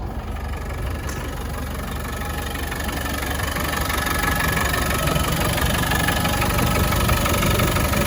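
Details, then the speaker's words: 1993 Land Rover Defender 90 200Tdi diesel, just started: even clatter about three beats a second, steady and firming up with no misses or knocks, slight smoke at startup, none at idle; healthy idle. "there's a tiny plume of smoke on startup which is normal but in idle there's no smoke running great"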